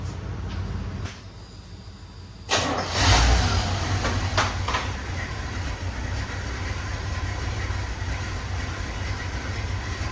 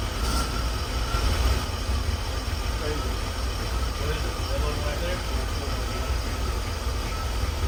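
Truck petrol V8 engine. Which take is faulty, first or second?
first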